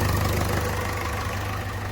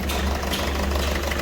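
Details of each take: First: Ford Figo diesel, which had a misfire, limited rpm and a blinking light with code P1204, idles smoothly with a low steady rumble and then takes two clean throttle blips after the injector was refitted. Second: Ford Figo diesel at idle: heavy, uneven knocking misfire, won't exceed 2000 rpm or 40 km/h, glow/star light blinking; code P1204, injector circuit open/shorted on one cylinder.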